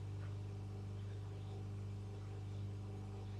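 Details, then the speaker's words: Homemade regenerative tube radio: a hand placed near the circuit brings a steady low mains hum from the speaker with no rhythm, picked up through hand capacitance. "I can hear a hum come out of the speakers I don't know if you could hear that probably couldn't"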